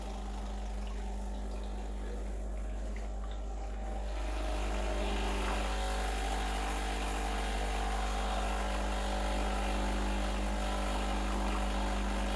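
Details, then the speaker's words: Breville Dual Boiler BES920 espresso machine, freshly serviced, running a single blank shot of hot water without coffee to warm up: low hum steps up as pump kicks in, even drone with water flowing; normal pump operation. "i like to start with a blank shot so that means running some hot water without any coffee in the hangar just to warm things up"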